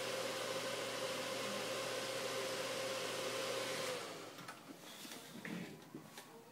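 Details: Dell XPS 630 desktop powered on: the fan roars at full speed with a constant whine and never settles down as it usually does before Windows loads; the fan is stuck at full speed and the PC won't boot.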